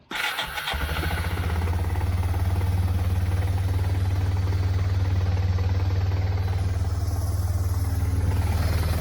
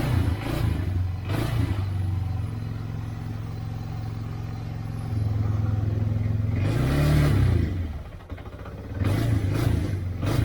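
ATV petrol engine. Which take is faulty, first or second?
second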